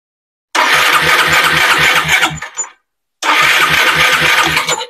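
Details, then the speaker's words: Automatic scooter (matic) that is hard to start and stalls despite cleaned carburetor and working spark plug: two bursts of steady starter cranking with a regular low chug, no combustion or firing pops, engine never catches. "dia tidak ada pembakaran ya tidak ada apa sih namanya e letupan letupan api jadi bunyinya seperti ini"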